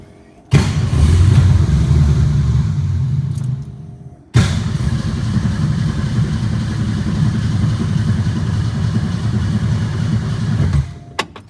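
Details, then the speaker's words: 1962 Ford Falcon, carburetor with manual choke, electric fuel pump not priming: two long cranking spells with a steady churning rhythm and no firing; cranking no-start from lack of fuel. "Fired right up. And died. Ay, this baby has no gas in her. It's not priming."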